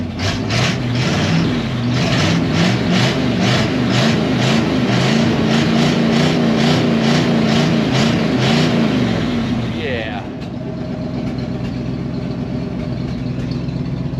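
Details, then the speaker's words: 1971 Ford wrecker, Ford 360 FE V8 on 90-octane alcohol-free fuel, exhaust rotted off, gaskets shot: loud raw rapping bark with uneven pulses as revs hang, then settling lower; effectively open headers, exhaust leak. "us the gaskets are shot all the exhaust is rotted off so we're basically running open headers extra horsepower"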